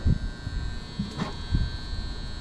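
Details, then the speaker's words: Gas furnace that works only intermittently, running: constant loud electrical buzz inside cabinet with dull thumps; tech first suspects transformer, then a 240 V relay that sends 24 V to the ECM blower motor; unconfirmed. "Actually, I think it's that relay up there. And if I'm not mistaken, that's a 240 volt relay to send 24 volts to an ECM motor."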